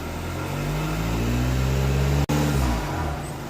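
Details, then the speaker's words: 2015 VW Passat TDI turbo diesel after the Rawtek cold air intake install: smooth rev with a deeper intake roar and turbo note that drops back cleanly, no knock or rattle, the sound Rawtek promised; normal rev with cold air intake. "Oh, that's awesome. Heck yeah. So that's pretty much what Rawtek promised as far as sound goes."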